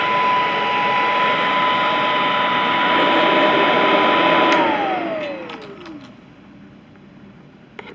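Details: Vintage all-metal Royal Model 153 vacuum, owned 22 years, 3-amp bushing-style motor with belt tension kept light; smooth, even quiet whir with clean steady high tone, then pitch slides down as it coasts to a stop; normal running.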